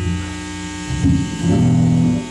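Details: Bass amp (Mitchell MB-200 or Fender Rumble) with a newly bought bass plugged in: loud 60 Hz hum with buzzy overtones. It shifts as the bass moves and with the pickup mix, fades at low volume, and ignores string touch. Faulty amp, exchanged.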